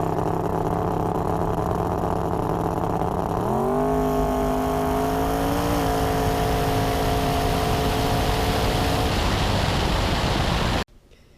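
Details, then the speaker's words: Twin-turbo Fox-body, first time on methanol, full-throttle pass: the engine note jumps, then holds nearly flat through second gear with no audible RPM change. Torque converter too loose for the power; a tighter bolt-together converter was ordered. "So as I said, pretty much the converter was just too loose for the power that we're making now, and the gear change didn't help with that either."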